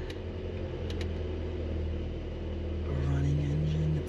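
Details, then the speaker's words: 1978 or 1979 Mazda 626 just out of winter storage, started on choke, idling around 1000 rpm: low, steady, even rumble with no knocking or stumbling, a normal idle. "idling now at around 1000 RPM whoops turning the lights on you're in first feels all very very good"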